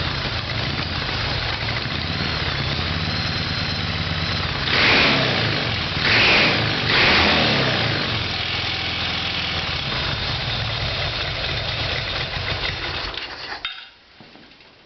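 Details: Harley Evolution Sportster V-twin start-up without starting fluid, both exhaust pipes hot. It catches and idles unevenly, revs a few times, then stumbles and dies. The plugs came out carboned and low compression is suspected; the problem was ultimately the carburetor.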